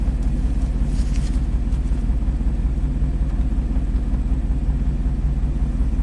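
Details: Chevy Silverado 3500 dually dump truck, 6.0L Vortec gas V8, about 20 years old, 40k miles, aftermarket plugs and injectors fitted, after spark plug check: idle still a little shaky, faintly uneven lumpy rumble; misfire on cylinders one and eight.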